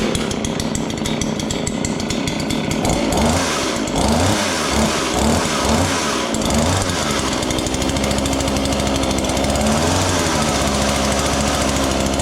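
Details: John Deere CS40 chainsaw just after installing a replacement chain oiler, hard starting, maybe not fully warm. The two-stroke buzz stumbles into uneven chugging ("womp womp") when throttled, then recovers. It idles fine but bogs on acceleration. Owner suspects the carburetor.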